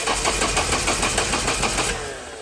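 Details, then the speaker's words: 1992 Nissan 240SX being turbocharged, engine unplugged so it cannot run: starter cranks evenly about four to five beats a second for two seconds, hoping to push oil to the turbo oil feed; healthy crank, no catching. "but I'm hoping if I hook the battery up and turn the starter that it will crank the engine over."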